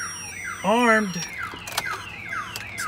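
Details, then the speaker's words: 2013 Chevrolet Silverado with Viper 5706V remote-start alarm armed, door opened: loud siren warbling and sweeping up and down in repeating chirps, pager showing alarm triggered; alarm working as intended. "if somebody wants to open the door it's going to show you on here that your alarm is going off"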